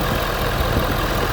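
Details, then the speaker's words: Ford F350 diesel after fitting a replacement intercooler cold-side pipe for one that blew. Steady, even idle with a smooth low rumble and no hiss or whistle from the charge pipes. Healthy. "yeah oh yeah that sounds great all right so amazon got that cold side pipe goes to the intercooler"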